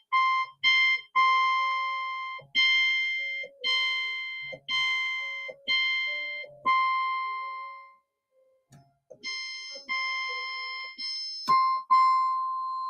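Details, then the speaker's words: Yamaha CS-60 synthesizer during capacitor replacement and voice board adjustment: one note repeated about twice a second, each voice slightly off pitch from the others, showing tuning differences between voice boards. "so I'm just going to press one note so you can hear the difference in the boards."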